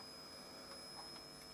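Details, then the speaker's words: Mini 700 mW BD139/BD140 audio power amplifier on a switch-mode 9 V DC plug-pack supply: constant faint, very high-pitched whistle over quiet background once powered. The whistle was absent on a 9 V battery, so the supply is suspected. "okay so I'm going to turn the volume down [Music] apart from that high frequency whistle it doesn't sound too bad"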